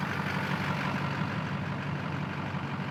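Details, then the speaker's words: 2004 GMC Sierra 3500 with LLY Duramax V8, after a new injector pigtail was installed for limp mode with P0202/P0207: a steady, smooth diesel idle with no hunting or stumble. No limp mode even when the connector is wiggled. "as you hear the trucks running as it should be no limp mode to be heard"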